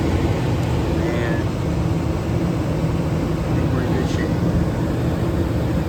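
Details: York furnace blower after a DIY blower motor replacement: a steady, even airflow rumble with no knocking, rattle or vibration. The new motor runs smooth and quiet and the whole unit no longer vibrates.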